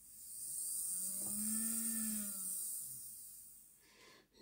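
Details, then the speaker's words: Hornby J15 model locomotive that never ran well since new, motor test-run after repair with the worm gear still removed: a smooth, even whine rising and falling with speed, seemingly better and running normally. "Yeah, seems better. It's hard to say though."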